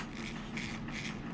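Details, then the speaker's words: Rlaarlo 4x4 mini RC car, differential dry-fitted with an added shim: spins freely with a light dry gear whir swelling and fading about twice a second, no binding; the shim made the difference, slight slop felt. "this one that shim definitely made all the difference if anything i wonder if i wonder if the other shim on this side could potentially make it even more freer"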